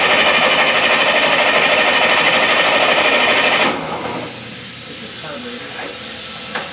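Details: Old Bobcat 610 skid steer with Wisconsin engine, sitting unused since April or May; fast, even cranking for a few seconds but never fires after two hours of trying; owner suspects no spark or a carb issue; cranks but won't start.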